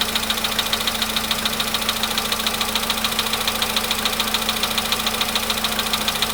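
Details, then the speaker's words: VW Polo Sedan near 100,000 km, cold start; sharp ticking knock about three and a half beats per second over even cold idle, cause unknown; knock stops with more throttle around 1500 rpm. "Если даешь побольше газу, в каком-то месте можно, найти такое место, где он перестает долбить. Вот. Где-то 1500."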